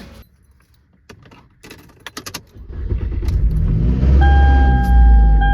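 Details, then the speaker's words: 2005 Toyota Camry cold start right after an oil change to Valvoline Restore & Protect 5W30: a loud rising clatter that quickly settles into an even run; owner suspects the VVT system. "Whoa, that noise. That noise was horrible. Sounds good now, but that was a horrible noise. Sounded like maybe a VVT system. It makes that noise on a cold start when you start it up, but it quickly goes away."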